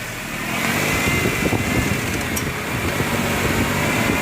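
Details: Renault Kwid 3-cylinder at idle, engaging reverse: a faint rising whine and loose low knocks, like a dry bearing. The mechanic suspects a worn, torn engine mount; the gearbox is still to be inspected.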